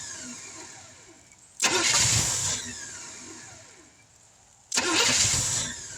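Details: 1971 Chevrolet C10 after sitting for decades, outdoor start, timing just advanced, no fuel pump: two short catches, each firing about a second and dying straight away. Owner suspects an inadequate fuel source, possibly spark plugs.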